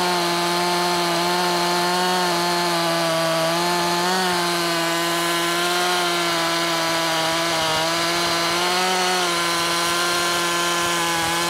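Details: Makita 5600 (Dolmar-built) chainsaw, tuned slightly rich (13,200 rpm free): strong steady high scream holding revs through the cut, slight dips; in-cut revs up to 11,000s, mostly about 10,300-10,600; healthy.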